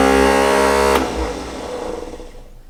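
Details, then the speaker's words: 1960 Ford Ranch Wagon with an OHV inline six and a column-shift 3-speed manual that sat 39 years in a junkyard: a brief high whine winds down without turning the engine. The starter Bendix drive is not engaging the flywheel. "this turtle bendix isn't engaging just gotta talk to it a little bit can you hear me how about now"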